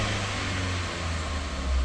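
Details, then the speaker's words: 2016 Ford Fiesta SE started after valve cover gasket replacement: steady even low rumble, no ticking or knocking; no leaks, no weird noises, idling cleanly. "Okay, there we go. No leaks. Sounds good. No weird noises, nothing, which there shouldn't be."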